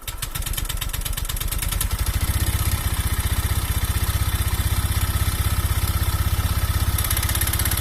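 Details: Honda Vario 125 fuel-injected scooter over a rough idle: a rapid hard clattering beat at about four per second with a metallic rattle. The worn piston slaps a loose cylinder bore, giving weak compression and hard starting.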